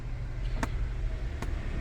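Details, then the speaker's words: 2012 Fiat 500 Lounge that had a misfire, after fitting four new spark plugs, no fault codes: steady, even low hum at idle with no stumbles or missed beats; no longer hunting, idling normally. "It's definitely not hunting on there, which it was slightly."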